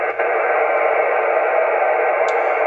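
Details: Heathkit SB-610 monitor scope, bench test with an FT-857 connected by coax: steady, even loud hiss raising the noise floor and blocking all but strong signals; interference traced to a faulty tube socket, and the noise went away when it was fixed.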